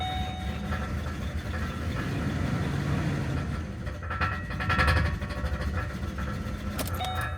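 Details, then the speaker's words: 2008 Ford Explorer 4.0L V6 idling with no throttle input: idle swells and sags on its own and won't settle, and the engine also sputters and stalls; damaged MAF sensor wiring harness, fixed by replacing the plug harness, MAF sensor and air filter. "If you start it up, it cannot hold a good idle."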